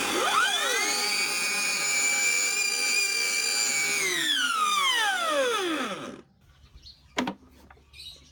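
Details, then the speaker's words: Old gear-driven electric grass trimmer (no belt) spins up to a loud, steady, high-pitched howling whine that falls away on coast-down; motor and brushes fine. "เพราะว่าแกตัดแล้วเสียงมันดังวิ๊ดวิ่วเสียงหอนมันดังตลอดนะฮะ"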